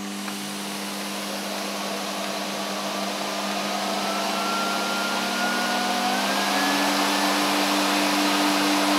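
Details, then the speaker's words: Hoover SC364 Vogue 1300 exclusive vacuum cleaner, unrestored, with old bag and filters, first run: smooth steady motor whine climbing slightly in pitch as it spins up, with light air rush; motor sounds healthy. "okay that sounds fine that sounds pretty sweet so you know I'm uh quite happy with that obviously it's going to need I heard a bit of air rushing"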